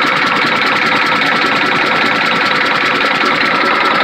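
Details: Freightliner FLD120, Detroit Diesel Series 60 11.1, cold hard start with bad injectors, idling without throttle: loud idle with a sharp metallic knock about 2.5 times a second, not perfectly even; owner suspects sticking valves, unconfirmed.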